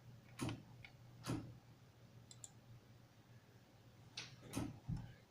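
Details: Printer keeps making faint, uneven clicks roughly once a second in a quiet room, nonstop; cause unclear.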